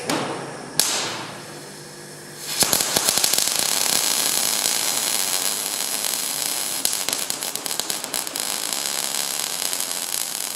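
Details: Transformer MIG welder being repaired after wire feed stopped, welding while manually varying wire feed: arc hisses and spits with irregular pops instead of smooth even crackle; wire feed too low.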